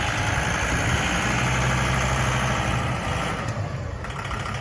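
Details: 2008 John Deere 5325 4x4 diesel tractor, about 1,300 hours, in near-new condition; steady, even diesel chug about four beats a second, no knocks or misses, normal idle.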